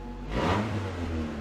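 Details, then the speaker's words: 1992 Honda Accord wagon, 5-speed, just revived after sitting 5 years in a yard: a short rev that is loud, coarse and raspy with an uneven exhaust note, plus a definite power-steering whine. Rough running. "it sounds like crap and the power steering has a definite wine"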